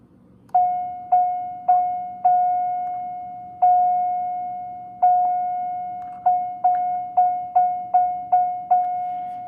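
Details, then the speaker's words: 1992 Chevrolet Corvette tone generator (door chime), after reflowing suspected bad solder joints, reassembled in its box: clean bell-like tone about once a second, then faster, even with no dropouts or buzz; working properly after repair. "And this is what it sounds like when it's back in the box."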